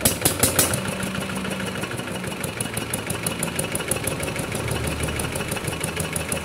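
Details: Kubota RD65DIS single-cylinder diesel after a service with the cylinder head refitted and timing set, fitted with an RD85 pusher: even, fast chatter with regular pulses and no misses or heavy knocks; runs healthy, and the exhaust is dry.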